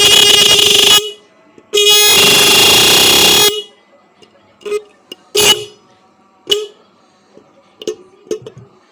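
Two long, loud horn blasts with a steady, clear, strong tone and no rasp or sputter; the horn is working properly.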